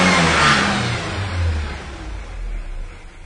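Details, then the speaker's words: 1997 Ford Ranger with hard start, throttle blip then rough, unsteady idle. Fuel pressure about 30-32, below 40, and unchanged with throttle. Suspected fuel pressure problem, possibly a bad check valve. "Yeah, this truck is really idling bad right now."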